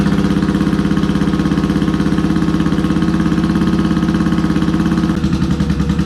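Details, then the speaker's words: Yamaha XS650 with BS34 carburetors, one cylinder running at idle: uneven thumping idle slows as the pilot mixture screw is turned in, then is backed out to about two and a quarter turns (near factory setting). "now i don't know if you picked up on that i was screwing it in and it kind of slowed down a little bit and i kept screwing it out till i got it up to a certain point where i could hear it"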